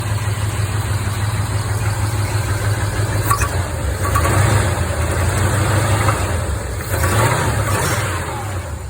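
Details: 1975 Chevy C20 V8 idling and blipped: uneven low knock about three times a second that swells with revs; owner suspects a spun bearing.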